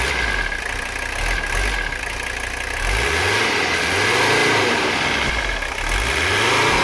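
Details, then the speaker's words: Abandoned Mercedes 300CD diesel after a valve adjustment, fuel line leak repairs and a diesel purge through the fuel system, not yet at operating temperature: steady idle clatter, then smooth eager revs with no stumble; runs cleanly. "That sounds real nice. I'm gonna let it go just a little bit more, and then we're gonna cut it."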